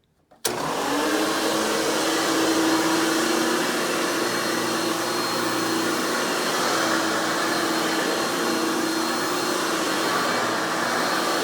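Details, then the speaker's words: 1997 Hoover Futura (Dimension) U5213-930 upright vacuum after repairs (replaced damaged fan, broken wheel axle, worn brush roll); switches on to a loud steady high-pitched scream holding even, running normally. "let's go ahead and turn this cleaner on and demo it for you guys so you can hear it and all it's screaming overly loud hoover"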